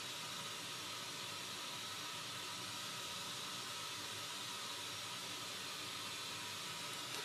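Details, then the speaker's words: Bang & Olufsen BeoCenter 5000 FM tuner during a tone board test, presets not working: a steady loud hiss with the tuned station barely audible underneath; FM reception is very poor. "That is FM. Very poor reception, but it's FM. Really poor reception, but Yeah."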